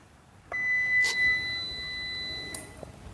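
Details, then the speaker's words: Modified UPS running on a worn Honda ADV 150 motorcycle battery revived with 50% accu zuur electrolyte, at 12.7 V: one clean, two-second high beep at switch-on, then a quiet hum; normal startup. "Nah, sudah berjalan dengan normal sebagaimana baterai baru."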